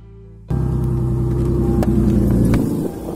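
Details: Lexus GS300 after retightening exhaust joint with new bolts and nuts (old washers) using an impact wrench; engine fires and idles with a quick puffing tick on the exhaust note; exhaust leak persists.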